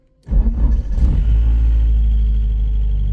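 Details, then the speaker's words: Porsche 944 project car, first start, turbo-model electric water pump audible: cranks and fires faster and faster into a rough low rumble, then sags and dies. The owner suspects leaks. The oil pressure gauge pegs, and he suspects the sender. The engine starts then stalls. "it's actually firing it up it's actually firing up faster and faster it does die cuz I think I have some leaks"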